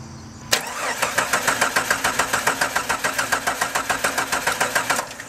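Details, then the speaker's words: 1997 Jeep Grand Cherokee, 4.0L inline-six: starter spins the engine evenly about three and a half times per second but it never fires, even with throttle opened; crank no start traced to a failed camshaft position sensor. "so as you can see it it turns over but it doesn't try to start at all"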